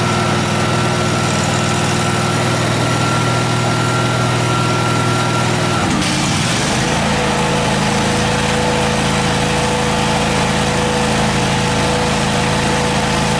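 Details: Miller Trailblazer engine-driven welder after repair: steady engine hum settles lower at six seconds as welding load comes on, with arc crackle over it; the engine runs evenly under load, and the 120 V outputs also work.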